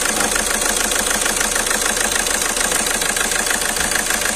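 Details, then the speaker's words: Skoda Rapid at idle with engine shaking and malfunction light on: uneven stumbling beat about three per second under hissy top end; scan showed cylinder 2 injector circuit fault, misfire. "आप देख सकते हो इसका engine कितना हिल रहा है इसका तो इसका इंजन मिसफायर हो रही है और इंजेक्टर चेक करेंगे"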